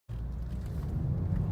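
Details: 2013 Ford Focus with a bad left-front wheel bearing: a loud, constant deep rumble fills the cabin while driving, with no knock or whine. The dealer replaced the bearing.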